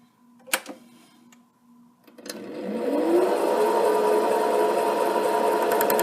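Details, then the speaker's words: HiTorque 5100 7x16 mini lathe facing a heavy workpiece: the motor whines steadily while the tool ticks three or four times a second on ridges at the edge. It is an interrupted cut and the cut depth is too deep. "What you hear there is the uh cutting tool hitting these ridges on the edge, but the actual cut looks like it's a little deeper than I want to take."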